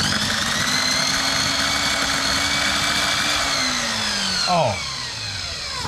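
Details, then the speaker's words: GTPRO ceiling sander, first power-on test: high whining motor with harsh hissy crackle, pitch dropping at wind-down, electrical burning smell; suspected sparking brushes, not confirmed, motor to be opened. "Oh man, it's spinning, but I can smell electrical. All right. It sounds like the sparky of the brass."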